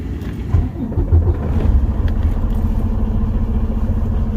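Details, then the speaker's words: A truck would not start because the transmission selector was not in neutral. Once the arrow was lined up to neutral, the key start catches and settles into a steady, deep diesel idle with no stumbling or knocking: a normal start. "Voila. You just heard the truck start."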